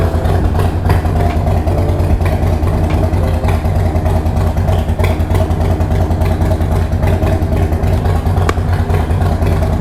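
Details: 2020 Harley-Davidson Roadster idling after the missing front header exhaust flange nuts were replaced with new 1/2-inch nuts: a deep, steady V-twin idle with no rattle or puffing at the front header, so the exhaust leak appears fixed.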